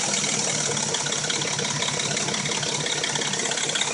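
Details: Dodge Intrepid at warm idle: a fast, fine metallic rattle over a hissy background with light knocking; it appears only when warm and the engine sounds new when cold. Owner suspects the timing chain.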